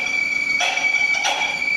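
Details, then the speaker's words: 1995 Jaguar X300 4.0 six-cylinder, cold, at shutdown: steady high squeal at one pitch with two short hissy swells; owner suspects an under-tensioned accessory belt, not confirmed. "c'est souvent que c'est la courroie d'accessoires qui fait des siennes parce qu'elle est pas en général assez tendu"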